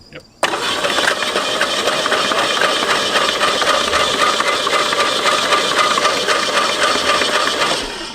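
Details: 1967 Mustang barn find, unmoved over 30 years, spun over by battery across the solenoid with the spark plugs out: starter turns it steadily at an even rhythm, no binding or hesitation; engine turns freely, no longer seized.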